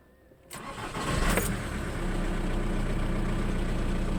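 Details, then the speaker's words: Volkswagen whose starter only clicked, even after a starter replacement: brief cranking, then the engine catches and settles into an even idle with no clicking. Starts normally after cleaning the connections. "бачимо авто все ж таки завелося прочистка допомогла ребята допомогла прочисточка"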